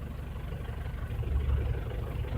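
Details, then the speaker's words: 2009 Ford Everest 2.5L common-rail diesel at idle, scan-tool cut-out test on injector number four: low rumble turns slightly uneven and lumpy as the cylinder drops; misfire shows all four injectors contribute equally. "so that's a bit of a misfire when I shut down that injector temporarily so that means all the injectors are contributing equally"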